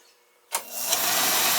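Burner lights off with a sharp whoosh, then settles into a steady, even roar with no pulsing or sputter; fuel delivery is fine.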